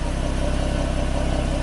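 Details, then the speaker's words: 2013 Ford Mustang V6 Premium, about 38,500 miles, stock apart from a permanent air filter, water pump replaced: soft, quick, even stock exhaust pulses at steady idle with no miss or tick; injectors clattering, belt quiet, healthy. "e that it's not missing there's no engine noise or knock you can just hear the injectors clattering everything's doing its thing belt's quiet"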